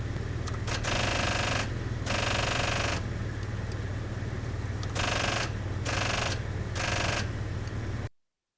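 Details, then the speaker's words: 1991 Pontiac Trans Am 305 TPI no-start: during compression testing (about 120 on cylinder one), the starter makes bursts of rapid clicking over a low drone; the starter pinion was sticking on the flexplate, freeing only when tapped. The starter was defective and was removed. "while I was testing the compression the starter began to make a clicking sound"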